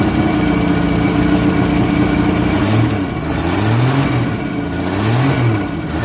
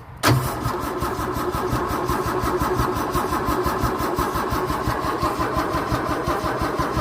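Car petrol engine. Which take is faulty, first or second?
second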